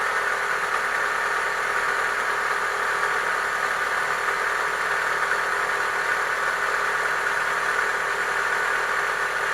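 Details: Chevrolet Lacetti 1.6 petrol engine at steady idle with a fast, dull knock under the engine note: worn piston knock, cured by boring the block and replacing the piston group.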